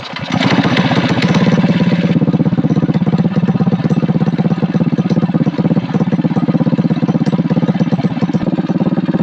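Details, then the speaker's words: Coleman CT200U-EX trike, single-cylinder engine with stage one kit (new intake, exhaust pipe and muffler), exhaust newly supported and bracket-mounted: steady, even, throaty idle with no popping or sputtering; normal running. "I think that exhaust sounds pretty good. It's kind of throaty, but it took the popping and sputtering o"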